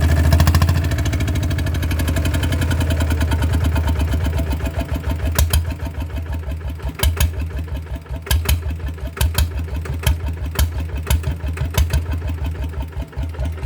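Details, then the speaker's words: Single-cylinder diesel RT100 after engine oil change (3 litres, old oil black and long unchanged): deep, slow thumping idle with even, unhurried beat, no knocks or rattles; sound unchanged from before the oil change, healthy. "โอเคครับก็ไม่รู้ถึงความต่างนะครับเสียงก็เหมือนเดิมล่ะครับ"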